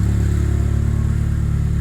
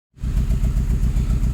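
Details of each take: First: Saab 9-3 Aero, after ATF cylinder soak and steam cleaning, disconnected injector reconnected: deep, steady idle with even pulse, running cleanly on all four cylinders; compression apparently restored. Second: Saab 9-3 Aero with a compression problem, after soaking each cylinder in ATF and steam cleaning by misting water into the intake: low, lumpy idle with an uneven repeating thump; owner believes it is misfiring on cylinder four, with no blow-by at the open oil cap.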